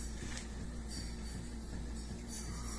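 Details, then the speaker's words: 1987 Mercedes-Benz 560SEL, poor heater performance: coolant pump hum throbbing about three times a second instead of steady; stops when flow restricted, ~650 mA; owner doubts pulsing is normal, suspects pump, no comparison available. "I don't believe it's supposed to be pulsating like that but I'm not 100% certain because I have no other one to compare it to"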